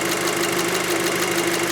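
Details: 2006 VW Passat 2.0T with lack of power and code P0190 for the fuel rail pressure sensor circuit, warm idle: steady, even idle with fast light ticking from the high-pressure fuel pump on top; engine sounds healthy.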